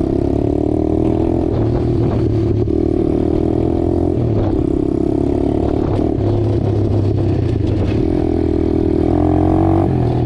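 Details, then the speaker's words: Apollo DBX-18 dirt bike after transmission repair with replacement main and counter shaft gears and new gaskets: single-cylinder pulls cleanly, revs rise and drop evenly through each shift, previous rattling gone, no grinding; shifts through all gears normally. "That the Amazon gears that I got worked out pretty good. Shifts out through all the gears just like it should."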